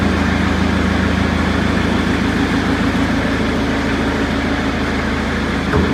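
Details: Perkins four-cylinder diesel in 1980–81 Bobcat 843, injectors reset to crack at 2200, electric fuel pump: loud clatter at steady idle with uneven shaking beat; cylinders balanced per exhaust temps and line-cracking, still rough, cause not found.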